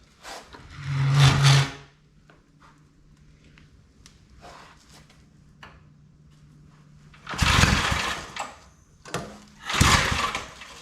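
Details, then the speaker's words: Old Briggs & Stratton 5 hp wood splitter engine, started without choke after more fuel was added; catches in short bursts then fades each time, never holds idle. Spark present, plug carboned: fuel starvation. "I just gotta get it to run better. Oh, she don't want to run at all."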